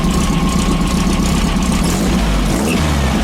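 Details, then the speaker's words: 1915cc air-cooled VW flat-four in a Manx buggy idling evenly after a 034 distributor swap from a 009 and timing set, no stumble; slight squeal from a loose belt. "And no stumble. Little squeal though from the belt being loose."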